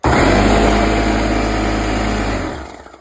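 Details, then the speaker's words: Porter Cable six-gallon air compressor after repair for not building air (rings first suspected; hose turned out to be at fault): steady loud hum and pump chatter, then smooth wind-down; now building pressure normally. "It's working good now. the building up pressure works just good fine."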